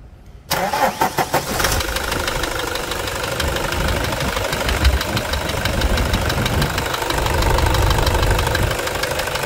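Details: Toyota Hilux 2.5 diesel that began knocking after warming up: it cranks, catches and idles with an uneven knocking tap about three per second through the clatter; owner suspects an injector, source unconfirmed.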